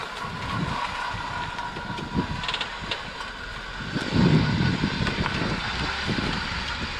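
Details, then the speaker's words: 2006 Acura TL after swapping in new CV axles, slow parking-lot test drive: only tyre and road rumble, with no rhythmic clicking or popping; suspension squeak still unresolved; CV axles sound normal. "well I didn't hear any popping so man with all that dude we're going to call that a wrap"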